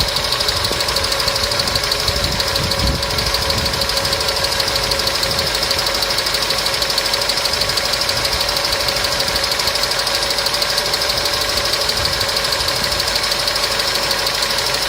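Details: Customer's engine at idle with noisy hydraulic lifters, started after an additive was poured in; light quick ticking about three per second over steady idle, hydraulic lifter tick.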